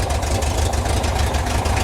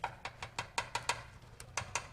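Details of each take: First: 1972 VW Bus air-cooled flat-four, baseline start before distributor timing or plug changes, owner suspects dieseling issue: fires right up into a deep, even idle, steady low thrum, no ticks or stumbles; healthy engine. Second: 1972 VW bus with a dieseling issue, tune-up with valve cover off: sharp light ticking about five times a second from the rockers; valves way out of adjustment, a 12 thou feeler gauge drops in loose, though it runs good.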